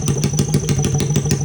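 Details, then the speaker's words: Honda XR80 engine in a shifter kart, fast idle: rapid even ticking chatter and squeak from the top end (head); owner unsure of cause, engine needed oil. "I'm not gonna lie, I'm hearing a squeak in the top end and it's freaking me out. Like, sounds like some chatter."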